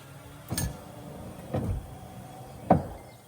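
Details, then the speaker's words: Peterbilt 379 cab interior, speed-controlled windshield wipers tested at full speed after a fuse was replaced: three dull clunks about a second apart over a quiet cab, a rowdy knock from the old steel wiper linkage rods, cause suspected. "Just old stuff. and then turn it all the way. It's a little rowdy sounding kind of."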